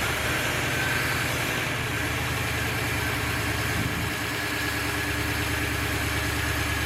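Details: 1953 Ford flathead V8 not run for years, converted to a 12 V starter and coil, started by jumping the solenoid on an auxiliary gas can: a steady, even idle with a smooth low rumble and no knocks, misses or rattles.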